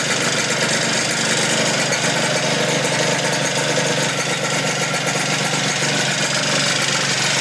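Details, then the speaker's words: 120cc stroker Honda Elite two-stroke scooter: crackly uneven burbling idle with lots of rattle, throttle barely engaging; owner suspects it is running super rich or has a fouled plug. "this thing sounds like it's running super rich or it has a fou plug or something"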